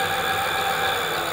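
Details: Hub motor on e-bike with Adaptto controller during setup fine-tuning: steady, even motor hum with no wobble or vibration at constant speed after adjusting base frequency to mid-range; motor running smoothly and correctly tuned.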